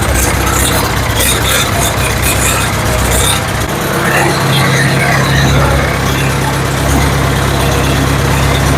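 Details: Ford 7000 diesel tractor after timing correction cured the no-start: diesel settles into a steady, even beat under background noise, no knock or hunting; runs really good, normal running.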